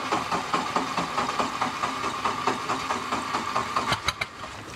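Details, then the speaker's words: 1986 Four Winns 170 Horizon 3.0L MerCruiser carbureted engine, first start after winter storage: needed some cranking to fill the carb, then settles to an even, steady idle with soft regular pulses, no knocks or misses; running good, water exiting normally. "started up pretty good. I mean, it took a little bit of cranking probably to get the holes filled up in the carburetor. But it's running good."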